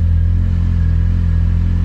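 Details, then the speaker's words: 4G63 after crank and bearing replacement for failed thrust bearing and crank walk, new oil pump: steady, even idle with smooth low hum, no knocking or ticking, good oil pressure. Normal idle after repair. "oh yeah lots of oil pressure uh she sounds pretty good now"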